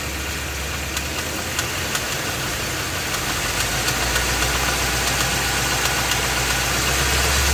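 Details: Ford F250 with 7.3L Godzilla gasoline V8, phone under the truck; idling, then in gear against the brake, A/C off. Sharp, regular knock about four per second, persisting under load; deep internal engine knock, engine later replaced.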